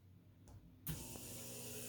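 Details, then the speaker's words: Maytag washer with low-flow error, original hot and cold fill valves after swapping plugs with the fabric softener and oxy valves: soft click, then only a faint, thin water hiss; weak fill valve flow. "hear that it's pretty quiet i can barely hear any water going"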